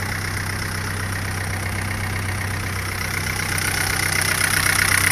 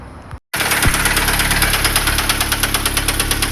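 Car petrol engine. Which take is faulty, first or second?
second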